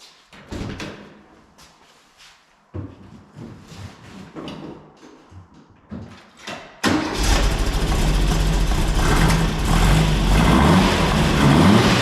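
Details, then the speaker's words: 1964 VW Beetle with the 123 ignition reinstalled after it previously wouldn't even idle: after some knocking and handling, the engine fires and settles into a steady, even run with no misses. Normal idle. "up okay so the car is now running which is great fantastic I'm quite relieved because before it was it wouldn't even idle you know"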